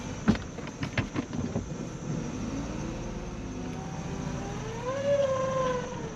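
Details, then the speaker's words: 2015 Ford Focus 1.0L 3-cylinder EcoBoost, 6-speed manual: revving brings thin whine rising and falling from turbo, with lots of shaft play felt by finger; compressor blade rubbing housing from worn turbo bearings, turbo needs rebuild. "I'm hearing some turbo noises. As you can hear on video, when I revved it, this turbo is making noise, and when I stick my finger in there, there's quite a bit of play."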